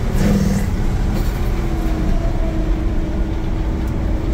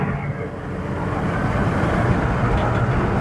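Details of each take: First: V8 Red Express truck with Holley Sniper EFI, under load on the road before the fix: a deep rumble with a loud, steady, ProCharger-like air whoosh and some bogging. Owner suspects the EFI sits too close to the intake and plans a 1-inch spacer. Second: Red Express truck with Holley Sniper EFI, after IAC adjustment and a spacer, accelerating on a test drive: a deep engine note builds cleanly with no jet-engine whoosh, less bogging and a responsive pull.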